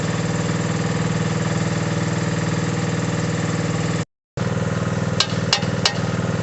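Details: Mini digger diesel, previously not starting (lazy starter motor suspected), now runs with a steady, firm chug and a few clunks near the end; normal running.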